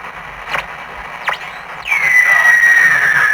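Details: 1947 TempleTone radio at power-up: two quick tuning swoops, then a shrill whistle drifting lower over hiss. It works but squeals and crackles with static; cause not yet found.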